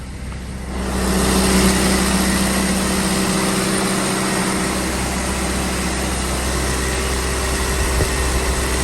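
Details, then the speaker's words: Hillman Imp engine after cylinder head gasket replacement, running on dyno, mic behind door: starts and settles into steady run with loud even drone from the dyno shaft; runs normally. "So I'm still behind the door here because it's noisy in there. You'll hear a lot of row. That's from the dyno shaft that connects it to the dyno."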